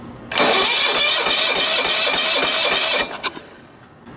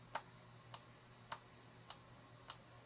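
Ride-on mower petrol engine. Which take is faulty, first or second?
first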